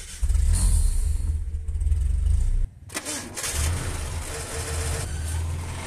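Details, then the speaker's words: Vehicle starter on cranking: low drone, then a whirring spin with rough slipping as the starter's bendix pinion slips on the flywheel, possibly not returning to its rest position. "es común que cuando tú trates de encender el vehículo se escuché un ruido como ese"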